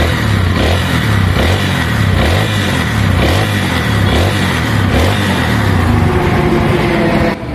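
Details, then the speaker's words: Motorcycle after repair idling with a steady low putter; the earlier misfiring, exhaust popping and rising-and-falling idle are gone, and the idle now holds steady. "so Ayun Naayos na nga ang unit nung ating customer so nawala na yung pamumusakal na rin yung kanyang mismong Menor hindi na siya nagtataas baba Gaya nung kanina"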